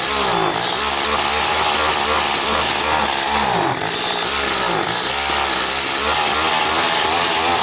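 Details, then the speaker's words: Stihl FS80 trimmer after a carburetor rebuild, warmed up: high two-stroke buzz held at speed with brief dips and stumbles, running poorly. The exhaust port bubbled when pulled slowly; owner suspects a stuck ring or low compression. "Good and warmed up now, and you know we can adjust that high speed, which I don't really like the idea of."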